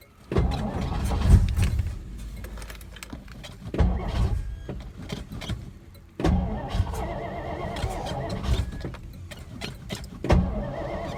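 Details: 1963 Studebaker Lark 2-door, off the road since 2010 (11 years), being cranked on starting fluid poured into the vent tube: four cranking bursts with sharp pops and stumbling catches, engine never keeps running; backfire while cranking, oil pressure present.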